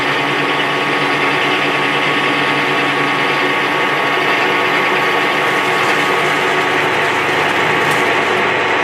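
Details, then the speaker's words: Lathe turning a Holden Commodore V8 rear axle down to 53 then 52 on a moderately hard shaft, with blue chips; steady rattling, gritty buzz with fast even chatter from long tool stick-out on the axle. "Now we'll go 52. Got a bit of chatter that you can hear."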